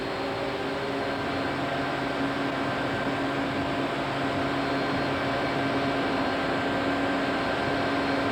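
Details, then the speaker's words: Coke pulverizer mill with gear reducer driven by 300 hp Siemens-Allis motor, fed by gravimetric belt feeder: big motor and gearbox running with steady, even hum and constant low tone, no knocks or surging; normal motor running. "sound of the gar reducer and the sound of the 300 horow Seaman Alice motor"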